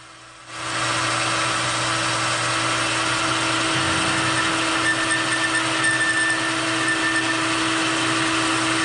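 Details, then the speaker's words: Boring a roughly 1.34-inch ID on a K&T 2HL replacement part on the lathe, boring bar without tail support; steady harsh ringing tone over a hissy cutting rasp, heavy vibration chatter, operator trying to dampen it with wood. "without the tail support I'm getting a lot of vibration so I'm trying to see if I can dampen them with this piece of wood"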